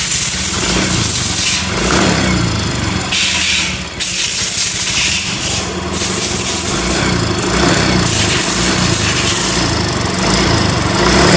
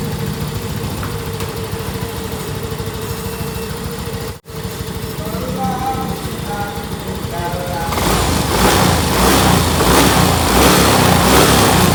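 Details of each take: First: Yamaha Mio M3 scooter, engine warmed up and revved: rough, fast ticking grows louder with throttle, barely audible when cold; valve train ticking, worn camshaft suspected. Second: Yamaha Mio M3 scooter after camshaft replacement and valve clearance set to 0.08 in, 0.10 ex: starts, idles evenly, revs cleanly with no ticking from the top end; worn camshaft had caused the rough noise.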